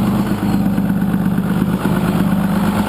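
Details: First-gen 6.2 L Cummins, 24-valve, VE injection, MP205 transfer case, exhaust brake engaged: steady diesel drone dropping and surging every second or so as the brake cuts in and out; unsoldered, vibrating switch wires cause it.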